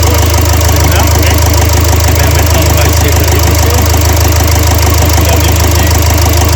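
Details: Renault Trafic 2 / Opel Vivaro van, M9R780 2.0 diesel with piezo injectors 0445 115 007, warming up at idle with cylinder 2 injector holder unbolted for extraction: loud, hard, regular clatter with a shaky beat; rough running. Fault codes show a cylinder 2 injector control circuit short and misfire.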